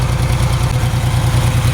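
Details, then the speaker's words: Ford 3000 gas tractor, three-cylinder, cold: lumpy low idle with uneven chugging, running on two cylinders; third cylinder kicks in after about 5 minutes warm-up; cold-idle misfire, cause unknown. "It's done this running on 2-cylinder thing before, and after it runs for a minute, then it takes off."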